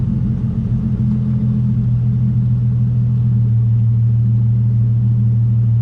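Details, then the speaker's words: Nissan 350Z after a rubber grommet fix for a check-engine light and limp mode. Steady deep rumble settling into an even, smooth idle with no stumble or knock: normal idle. "all right so the idol is normal everything else seems normal even that sounds normal"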